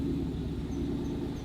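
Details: Car at idle with wheel turning: faint high chirp about every third of a second in time with wheel rotation; rotor, caliper and ABS ring wobble, suggesting a bent part. Cause suspected, not confirmed.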